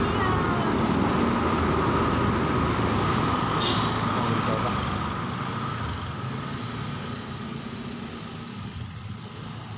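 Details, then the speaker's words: Honda Beat FI injection scooter after fixing a chafed wiring fault that caused hesitation and bogging: even, regular engine beat holding steady with no stumbling or sputter against street noise; runs normally. "ini motornya udah hidup jadi permasalahannya enggak ada yang lain sih"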